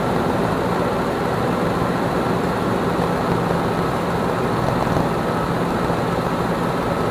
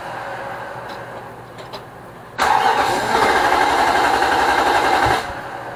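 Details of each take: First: 2006 Nissan Armada 5.6 V8 (body 185,000 miles) freshly swapped and running after crank sensor replacement: an even, steady rumble with no knocks or misses across twelve seconds. Normal idle. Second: Nissan Armada 5.6 V8 (2006) just swapped into a truck, on its first cold start with fluids filled. The starter whirrs evenly for three seconds and never catches, a crank-no-start. The fuel line and sensors are connected; the owner suspects the crank sensor or the fuel pump.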